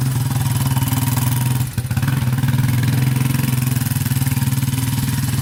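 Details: 2001 Yamaha Warrior 350 single-cylinder quad after a short ride: loud, rapid, even clatter following engine speed. Owner first suspected the timing chain; the valves were far too loose, so the cause was excessive valve clearance.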